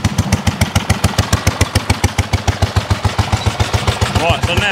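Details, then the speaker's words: 1930s Dennis Z Type 30-inch lawn mower, barn-stored for years, first start after points and carburettor clean, choke off, warming up: loud evenly spaced booms three or four a second, smoking and backfiring; cause unclear. "okay so she's still taking over i can hear that boom boom boom boom"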